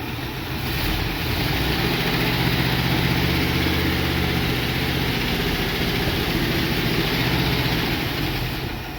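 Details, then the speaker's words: International Scout V8, first run in over 13 years, oil 15 years old, no fuel line hooked up: catches and runs fairly evenly several seconds on gas poured into carburetor, then sags and fades as fuel runs out; owner thinks carburetor may need adjustment. "It's only going to run as long as we put the gas in there, but 2 thumbs up on that."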